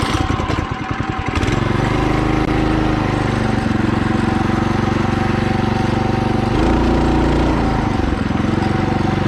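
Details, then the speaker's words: Mini bike after upgrade to a torque converter belt drive, pulling slowly uphill: steady small-engine drone shifting pitch with throttle, only belt noise and no clutch ding, slightly louder as it needs more throttle; smooth, no slipping or knocking, normal running under load. "just from that idol you can already hear that you don't hear a ding from the clutch you only hear the belt but it is a slightly louder because you have to you have to like give it more throttle"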